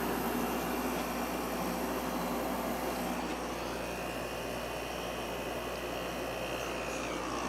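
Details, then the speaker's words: Emerson Quiet Kool window air conditioner after fan motor replacement with a GE motor from a Kenmore unit, compressor started: even airflow rush with smooth low compressor hum, quiet fan, no rattles or squeals; running normally. "summer and here it is a few minutes later compressor sounds great it's blowing nice cold air and the fan is quiet so I'm finally happy with the way this uh unit is"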